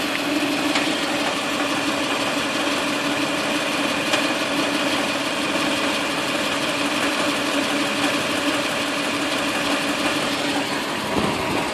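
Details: Toyota 2UZ-FE V8 petrol engine at idle, with a fast, even, strange knocking clatter.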